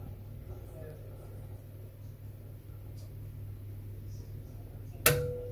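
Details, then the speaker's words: Potterton Prima B boiler: a quiet hum, then one sharp click from the gas valve as the pilot is blown out. The thermocouple voltage drops and the thermoelectric valve springs shut, so the flame failure device is working normally. The pilot jet was partially blocked. "there you go so that's the firm electric valve springing back because as i said blown out the pilot light and that's now basically stopped the voltage this little voltage going down the thermocouple into the back of the gas valve and then de-energizing the thermoelectric valve"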